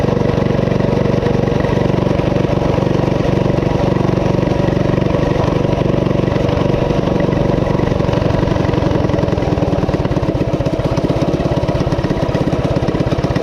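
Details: Coleman CT200U-A minibike, 196cc single, at idle after new carb gasket: fast, steady buzz never settling over the whole run despite repeated carb adjustments. High idle; cause unknown, owner wonders about the clutch.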